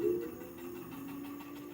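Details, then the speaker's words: Apollo Phantom electric scooter rear wheel spinning during brake adjustment: quiet whirr with a faint constant rub when the brake is tightened too much, disc heard at the back; brake disc rubbing, being loosened. "if I turn left if and I tighten the brake too much that's when I hear the disc at the back right now loosening it a bit"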